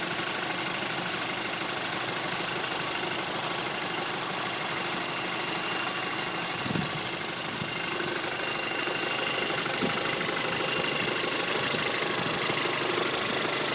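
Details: Light metallic rattle ticking about three times a second over an even idle, with hiss on top, on a 2006 VW Golf GTI Mk5; the source is not pinned down.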